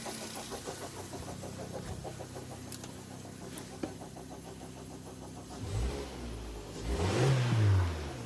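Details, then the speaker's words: 2010 Vauxhall Zafira 1.8 petrol at idle after start: regular knock about 3.5 per second plus rubbing, first thought rod knock; auxiliary belt badly cracked, water pump or tensioner suspected, cause unconfirmed. "Right, so here is today's job. 2010 Vauxhall Zafira 1.8 petrol, and it's come in with a knocking sound."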